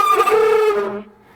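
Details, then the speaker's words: 1975 GMC truck, heater/AC blower fan running: steady hollow mid-pitch howl with overtones, fading as the fan spins down; faulty blower motor, motor and likely squirrel cage to be replaced. "that's not pretty, and we got to do something about it. So we're going to replace the motor and more than likely the squirrel cage while we're in there."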